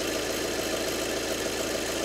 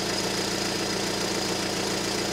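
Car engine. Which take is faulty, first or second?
first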